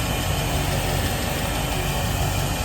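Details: Volvo Penta 5.7L V8 marine engine after Quantum fuel pump assembly replacement, started after cycling the key ten times: deep, steady burble at idle with even beat, no misfire or rattle, no leaks; normal idle.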